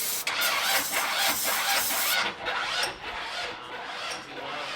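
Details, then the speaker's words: 1968 Chevy C10 on 2005 Ford Explorer chassis, first start attempt with gas poured in and battery low: slow, labored cranking about two beats a second that sags and never catches; owner suspects no fuel. "it's not getting fuel"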